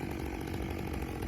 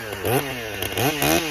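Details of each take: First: Rebuilt Stihl MS661 C-M chainsaw cutting after cold start, M-Tronic system adjusting fuel as it heats; strong even note holding steady under load, no bogging or surging, normal operation. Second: Stihl MS661 C-M chainsaw rebuilt after being declared a total loss, cold start on dry carburetor, first cut; high steady scream with gurgling dips, four-stroking while the mixture is still being tuned.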